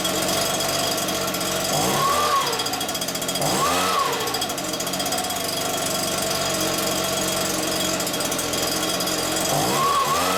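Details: Stihl BR86c two-stroke leaf blower after engine rebuild (new crank bearings; bottom-end bearings had failed from wrong 2-stroke mix) and carburettor clean: loud fast buzz picking up on each blip and settling back, firing evenly; runs normally.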